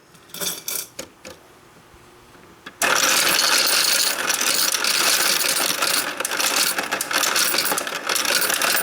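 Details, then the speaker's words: Royal Sovereign FS-44P coin sorter fed coins gradually into tubes with preformed wrappers: loud steady whirring with fast even coin clatter, about three clicks a second, running normally. "So let me hit the start button, start feeding them in. Just going right into the tubes with the wrappers."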